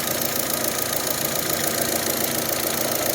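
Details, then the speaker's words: 2008 Saturn Astra, just over 114,000 miles, just started after throttle body replacement (it had lost power and fuel mileage and shifted oddly), thermostat probably not yet open: steady, even idle with light, fast injector clicking; smooth, nothing abnormal. "yeah I don't see anything yet I can hear the injectors clicking"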